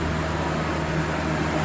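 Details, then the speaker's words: 1999 Ford Ranger 2.5-liter 4-cylinder revs high right after a cold start and holds a fast, steady idle, slowing only after 15–20 minutes of driving; faulty coolant temperature sensor, fixed by replacing it. "This is my 1999 Ford Ranger, and it has a high idle issue. And I'll start it up so you can hear it. So, as soon as you start it, it revs up the engine really high"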